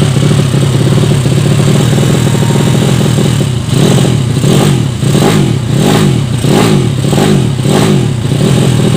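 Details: Yamaha Vega ZR with swapped Mio cylinder, 200cc, 66mm piston, standard stroke, Tiger cam, test run after long storage: rhythmic surge, revs swelling and sagging about every half second; carburettor not yet set, still running lean.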